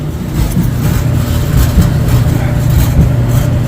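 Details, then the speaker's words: Dryer run empty: a deep, uneven rumble with loose buzzing pulses about once a second; suspected cabinet sheet-metal vibration near the heating element or exhaust line; not confirmed. "that's what I'm listening to right now structural vibration sheet metal vibration I'm thinking it's probably coming from"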